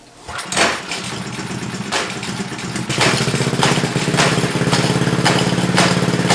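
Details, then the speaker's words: DIY C8 Corvette widebody Power Wheels kart with real small engine, first drive; engine revving with a sharp clack about once a second over the drone; chain jumping the sprocket because the master link was installed backwards. "maybe that little bit office getting that I think it is I think it's trying to jump yeah okay I see it"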